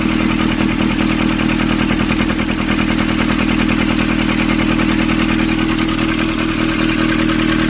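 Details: Nissan Urvan ZD30 diesel, 2015, after a no-start repair in which a soot-clogged part was cleaned and refitted: steady, even clatter at idle with a smooth, regular beat, no hunting or stumble; idles healthy.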